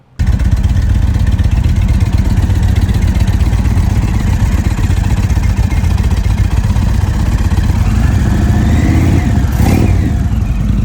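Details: 2021 Indian Vintage Dark Horse with 111 engine, a comparison bike: deep steady V-twin lope with one quick rev and no high-pitched whine.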